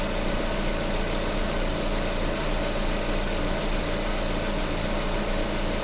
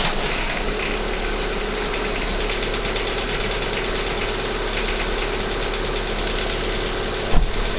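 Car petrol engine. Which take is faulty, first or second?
second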